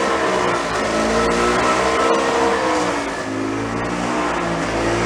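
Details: Early-1980s gas golf cart pickup barn find, running on a little fuel in the carburetor float bowl, started without choke: the small single-cylinder engine runs steadily with a slight wavering rhythm; sounds healthy.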